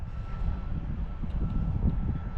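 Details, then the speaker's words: Nitro RC car engine, run warm (~140°) after setting high-speed needle: deep blubbery burble at low speed sounds rich; owner suspects rich low-speed needle and leans it out, unconfirmed until fuel line pinch test. "I don't really know so I'm going to lean out the low speed"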